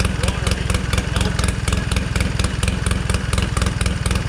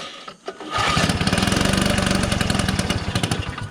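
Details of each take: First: 1969 Polaris Colt 303 Wankel rotary snowmobile after years sitting, carb adjusted, slightly warm: fast, even pulsing exhaust beat at steady idle, no misses or knocks; normal running. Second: 1969 Polaris Colt 303 Wankel rotary snowmobile after years of sitting, adjusting high-speed carb screw while running; rough uneven popping about four beats a second that labors, running lean on fuel.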